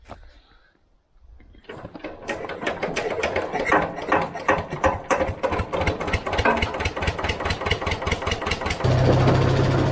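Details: Old vibratory roller engine that died about 20 years ago, revived and test-run on the driveway: cranks, catches, then settles into even, steady chugging about two or three beats a second; old twin diesel running cleanly.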